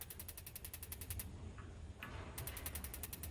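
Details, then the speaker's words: Kingdura 48,000 BTU propane pyramid patio heater: after over 2 minutes of purging air, the igniter snaps rapidly and steadily but there is no flame. The pilot fails to light; the instructions suggest lighting it with a long-stem lighter. "Um, it does suggest, even though I know that you can see the crackle and hear the crackle, that you, it tells you that you should then, um, put a long stem lighter through the glass tube to light the pilot."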